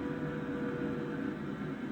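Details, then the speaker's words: Diesel heater after switch-off, cabin up four degrees in about 3–4 minutes: even fan rush with faint hum, no knocks or rattles, running down normally before clicking off. "bargain though that's jumped four degrees in the space of i don't know three four minutes if that heat is just winding down now it'll the funnel click off in a second or two"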